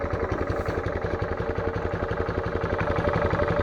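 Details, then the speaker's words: Honda GC160/190 pressure washer engine after spark plug gap, valve lash and carburetor slow adjustment, air filter off: even putt-putt idle, no top-end ticking; idling cleanly. "so i took day after off and the slow on this particular engine the idling rpm is about 15 to 1600 rpm"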